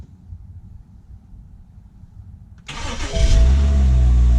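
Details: BMW project car won from Copart with vandalized interior, started after fitting a new aftermarket battery not yet programmed to the car: quiet, then a short crank, a clean catch and a rising rev settling smoothly; starts and runs healthy.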